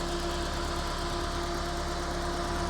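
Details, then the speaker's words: Ford RS Cosworth replica (Boosted 2000) with a freshly rebuilt forged engine, remotely tuned, first drive in about ten months: low, smooth, quiet idle burble, even hum, no knocks or rattles; normal, healthy idle. "See how this engine is idling better now. Hold on. Oops. Not even disconnected. Let's have a listen to this burble."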